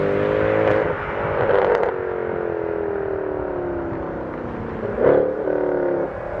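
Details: W204 Mercedes C63 AMG V8 with new long-tube headers, sport cats, new mid and rear silencers, recorded outside on warm start, revs and acceleration: strong booming drone swelling and falling with revs as mid silencer rings and resonates; fixed by welding vibration damper and refitting stock rear silencers.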